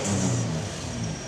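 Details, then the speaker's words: Toyota Land Cruiser, one owner, 28 years old, after new cambelt, water pump, spark plugs, fluids, filters and full service: smooth steady idle with an easy rev, no knocks or ticks; runs beautifully. "it now runs beautifully in fact it runs like a Swiss watch"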